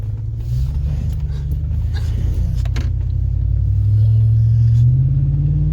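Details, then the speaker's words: Stock Silverado 5.3 V8 daily work truck, Edelbrock muffler just swapped for a Magnaflow; deep subdued rumble swelling with revs, near-stock and quieter than expected, no drone or rasp; normal exhaust. "oh you can tell it's mighty quiet don't sound much different than stocks hook really kind of figured it'd probably be a little bit quieter"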